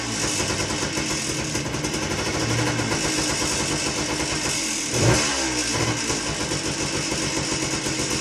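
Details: Suzuki single-cylinder dirt bike after carb cleaning, started on choke with fresh fuel: engine catches and runs with a crisp, steady beat, then a quick rev at five seconds; starts and runs fine.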